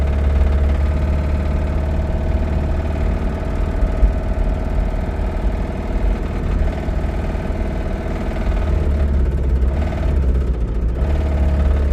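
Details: Toyota Camry petrol engine idling with a deep, steady knock on a heavy low rumble; owner suspects rod knock, not confirmed.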